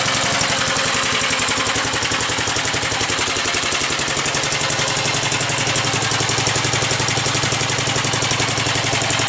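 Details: 1945 Gravely Model L single-cylinder at first start-up, with used oil added, oil lines bled and a different plug. Pull-started; the starter may not have been cranking fast enough. Steady, even putter at about two beats a second with no stumbles; runs nice.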